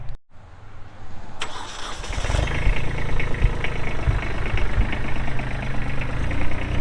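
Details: Kubota B7500 tractor with a 21HP diesel and 1,249 hours: the starter cranks briefly, then the engine catches and settles into a steady, even idle clatter with no knocks or misses, a normal start.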